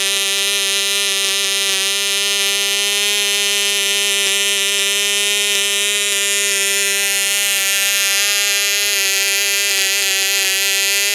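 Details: Cox Tee Dee .049 model engine on Sig Champion 25% fuel with the original 6x3 gray prop, strapped to a stepladder: steady high buzz that peaks only around 13,000 rpm; oversized prop holding it back.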